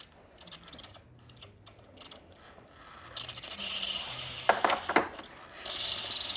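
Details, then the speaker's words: Breville Barista Express after a full service tune-up, steam function test: clicks and handling, then the wand sputters a little water first and settles into a strong, steady, even steam hiss. Normal steam wand operation. "It's going to take a little bit to heat up, but once it starts heating up, you'll hear the pump go off. As you can see, it's going to shoot a little bit of water first."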